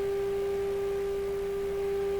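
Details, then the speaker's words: Hammarlund SP-600 double-conversion receiver during 455 kHz IF alignment: steady whistle near 400 Hz with faint overtones persists after adjustment; source of the odd tone unclear. "Sounds much better now. Maybe that was that whole problem. Nope, still does that funny sound."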